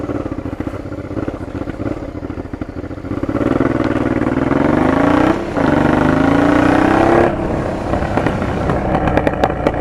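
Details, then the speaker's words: Honda Transalp PD06 with MIG exhaust: revs climb and fall with sharp exhaust pops and crackles and rpm slow to drop; defective, possibly cracked rubber intake boots suspected, needing replacement. "the rubber intakes are these two are uh defective now you can tell by first of all by the backfires take a look at the video"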